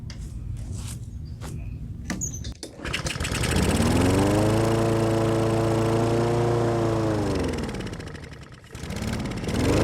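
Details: Husqvarna lawnmower with Honda engine, sat all winter with stabilized fuel in tank and carburetor, started after carb spray into the carburetor with choke on; rattles, catches, climbs to steady even run, sags briefly, recovers; running fine.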